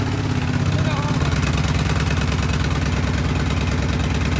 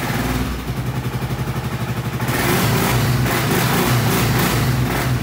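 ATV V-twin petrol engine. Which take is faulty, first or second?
second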